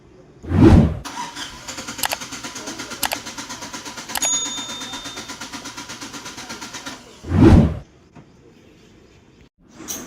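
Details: 2019 United Bravo, long cranking no-start: the starter spins the engine steadily and fast for several seconds, but it never catches; diagnosis of the injector connectors and ECM follows.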